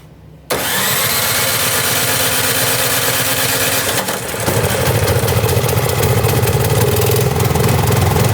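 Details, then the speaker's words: Snow blower with electric start, fired up after basic fixes for a no-start such as fuel and carburetor checks; quiet, then it catches at once and settles into an even idle, picking up slightly after four seconds; running fine. "Now that we've done everything we can to hopefully get our machine up and running, we're gonna go ahead and fire it up."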